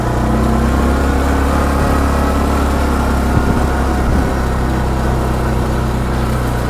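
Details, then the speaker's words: Massimo MSA 550 ATV in High range, accelerating: deep, steady engine drone pulling up evenly with no clicks or shift clunks; belt drive smooth, no gear-change knock felt. "see there's no click there's no shifting gears you feel nothing"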